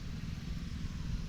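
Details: Repaired 79cc Predator 1-inch water pump engine pumping rainwater from the collection system: low, even engine drone with a steady beat and no stumbles; runs smoothly.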